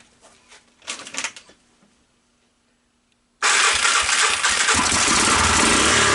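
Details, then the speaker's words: 1985 Honda ATC250SX with Astro 4-wheel conversion, first cold start with a jump box wired straight to the starter: runs loud and rough with a harsh top-end rumble; owner suspects a backwards oil filter, and the starter gears also sound bad. "there is a mistake you can make on these and it looks like it has a nice fresh oil change the oil filter might have been put in backwards might the oil filter might not be in correctly and if you do that it makes it sound like the head"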